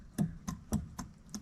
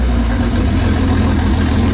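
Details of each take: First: Jeep 4.0 inline-six from a ZJ Grand Cherokee, engine apart, piston pushed up and down by hand: five sharp, separate clacks about a third of a second apart, showing slack; owner suspects a wrist pin issue, not confirmed. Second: Freshly built Jeep 4.0 inline-six from a ZJ Grand Cherokee, converted to a 00-01 XJ coil-pack engine, on an engine stand with open exhaust: loud, steady running, brief rev then shut-off; even firing, no knocks or rattles; healthy.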